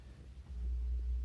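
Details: Montgomery Wards tube stereo salvaged from trash, powered up: deep steady drone swells in under a second and holds constant pitch; heavy supply hum, owner suspects shorted 6CA4 rectifier tube, persisting after replacement.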